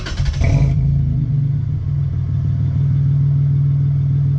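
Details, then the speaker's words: 2001 Toyota Tacoma 3.4 V6 with Flowmaster 40 series exhaust, warm start after JB Weld repair of exhaust weld leaks: steady even low idle, muted near-stock exhaust note, no ticking or puffing; normal warm idle. "Warm, it's definitely a lot more muted. It sounds a lot more like it is stock when it idles, when it's warm."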